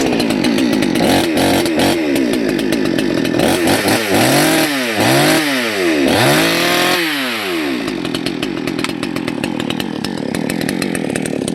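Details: Salem Master chainsaw during carburetor adjustment: revs wander and burble unevenly instead of holding a crisp note, and the exhaust stinks; low-speed jet set way too rich.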